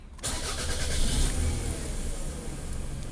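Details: 2004 Toyota RAV4 with crank-no-start: after swapping to the new key (security light out), a brief crank catches quickly and settles into steady low idle without stumbling; normal start, original fault was the old key.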